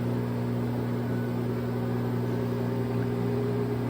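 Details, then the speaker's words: LG front-load washer in diagnostic mode, fast spin stage after water valve replacement for IE code: smooth even hum at high speed, no freight-train or jetliner roar that would mean bearing and drum support failure; normal spin. "you could also do this just to put in a spin cycle to see if it's making noise on spin this sounds like a freight train or a jetliner which this one doesn't"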